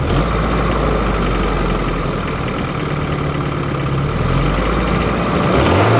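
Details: 1993 Geo Tracker engine, another angle: uneven off-rhythm clattering knock over rough idle, persisting through brief revs; possible rod knock, unconfirmed.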